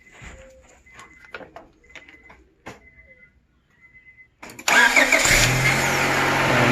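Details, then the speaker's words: 2002 Honda Accord V6 that suddenly wouldn't start, after a new battery and cleaned terminals: faint clicks, then a clean crank and an even, steady idle. The problem was the battery terminal. "there we go so the problem was the terminal"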